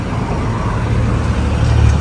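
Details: Toyota Vigo 1KD diesel idling, code P0093 fuel leak; steady, even low rumble with no misses or knocks, and white exhaust smoke gone.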